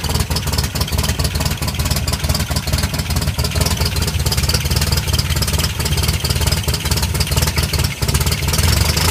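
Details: 1984 Toyota Pickup 4x4, 22R engine in 22RE conversion: loud coarse running with a steady low drone and busy uneven clatter on top; engine noisy, cause not evident.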